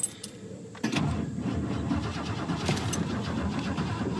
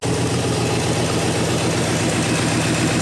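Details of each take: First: 1967 Lincoln Continental, carbureted, sat in a field a year, hot day, first start attempt with no starter fluid: keys rattle, starter spins engine evenly with no firing; cranks fine but won't fire. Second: 1967 Lincoln Continental carbureted V8, sat in a field a year, starts once fuel finally reaches the primary jets: steady, slightly lumpy idle with even low rumble, no knocks; running fine.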